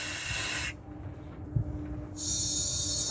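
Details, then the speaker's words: 1998 Dodge Dakota rear air suspension conversion. The leveling valve vents the bags while lowering, heard as a steady sharp hiss in two spurts. This is normal exhaust toward ride height, with about one inch of tolerance. "so we'll try lowering it down okay yeah it's exhausting air"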